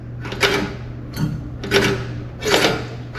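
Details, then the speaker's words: Revolution reel mower after reel-to-bedknife adjustment: soft, even swishing about once a second with no knock as the reel slides across the bedknife, then confirmed cutting paper left, middle and right. "So I get that sound. Do you hear that? All of a sudden it's sliding across. You can hear it. There's not knocking."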